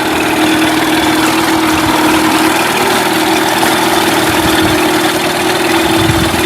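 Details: Mercury 8HP outboard, unknown storage time, in a water tub, back in neutral after running in gear: steady even mid-pitched idle drone, no misses or knocks; running healthily.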